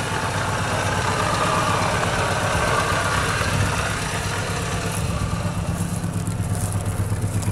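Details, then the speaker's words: 1984 Mitsubishi L200 Express ute, old petrol engine, hard starting and worn out: rough idle with raspy puffing from a leaking exhaust, while exhaust still exits the tailpipe; leak suspected, not confirmed. "Got exhaust leaky. But the dry vent still comes out of the tailpipe."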